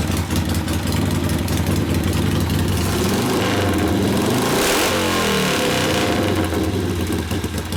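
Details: 1972 Harley Sportster XLCH Ironhead after case repair and engine rebuild (came in with kick starter unable to turn the seemingly locked motor): lumpy V-twin idle, short rev blip settling back, no knocks or rattles; normal running.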